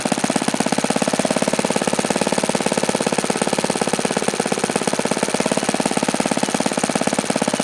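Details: OS FS-alpha 110 model four-stroke glow engine, freshly reassembled after crankshaft bearing and connecting rod replacement, fires with a rapid even buzz at one pitch; it falls well short of the review article's rpm figures.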